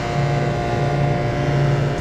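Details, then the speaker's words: Walk-in freezer compressor after replacing blown start components, burnt wire suspected cause: steady low hum, no clicking, cycling or strain; starts fine, drawing 9.3 amps, relay dropping start capacitor out properly. "can hear the compressor's running start it up just fine 9.3 amps is not too much"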